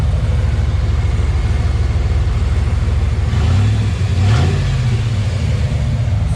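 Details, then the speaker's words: 1994 Camaro Z28 after installing a Holley Sniper EFI in-tank fuel pump: smooth, deep, even rumble with one brief rev blip and no stumble or knocking; new pump working well. "so alright everyone so God put the fuel pump in working good"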